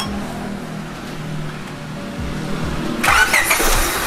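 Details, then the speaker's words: Honda Stream with D17 engine after simple tune-up: steady starter churn about three turns a second, then catches and fires cleanly; normal cranking and start. "khas banget suaranya G17 ketika di starter."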